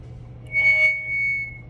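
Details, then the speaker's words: Uniden PC 78LTX CB radio with a Connex board and Workman BB3 echo board: a steady high feedback squeal swells during an audio check and fades as the echo knob is turned clockwise; echo board feedback, avoided by adjusting that knob. "See the squealing? You don't want that."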